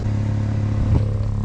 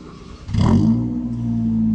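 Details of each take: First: see if the exhaust goes locked off and we can hear where the leaks are coming from Second: Car "Georgette" after replacing a holed exhaust with a straight pipe from an old Civic: engine catches quickly and settles into a smooth, even idle with a steady low drone and no puffing or ticking from leaks.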